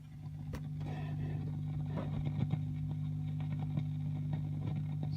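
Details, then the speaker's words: 1960s Strauss Emperor Australian valve guitar amp with EL34 output tubes, electrolytic caps replaced and red-plating cured, bias not yet adjusted: steady mains hum with irregular sharp crackles and pops that persist after the repair. "there is zero glow from these tubes at all apart from the heaters glowing however that crackle is still there"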